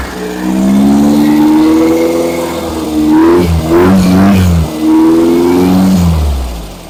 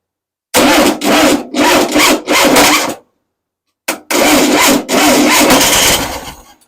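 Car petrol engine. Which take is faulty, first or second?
second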